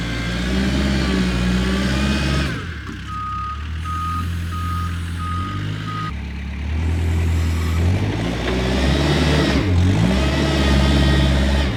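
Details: Kubota 520 hydrostatic wheel loader, test after a high/low range transmission fix: steady diesel drone under load with an even reverse alarm, pulling smoothly backward with no whine or clunk.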